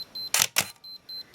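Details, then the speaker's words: Minolta X-700 with 50mm f/1.7 lens: short high beeps near four kilohertz about every quarter second between shutter clacks, the meter's low-light warning that there is not enough light; low-light warning beep. "we heard the beep because it says there's not enough light here."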